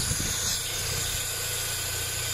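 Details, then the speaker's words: Cheap Mini, long-sat car, just got running: a steady airy hiss over a low, even idle; smoke coming from the rocker cover gasket; hiss source not yet found. "Running, a bit of a hiss, but I have noticed one thing."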